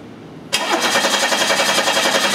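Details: 1991 Chevy Cavalier 3.1 L, good spark: steady, even cranking rhythm that never catches; crank no start with no injector pulse (noid light dark), from a shorted fuel injector in the group-fired system.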